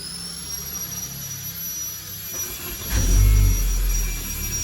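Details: Luxury car, engine at the rear, that often will not restart when hot; this start is after it sat a long time: quiet at first, then it catches with a low rumble around three seconds and settles into a steady run. Normal start.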